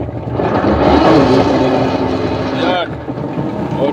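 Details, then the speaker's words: Washing machine agitating: rough, continuous grinding with an uneven whirring edge from the gearbox, louder in forward or in reverse and when handled. Likely worn gear teeth underneath. "ba iingay talaga yan dahil nga wala na sira na yung maaring pudpod na yung kanyang ah ngipin doon sa pinakaano niya pinaka gear sa ilalim so iingay talaga yan"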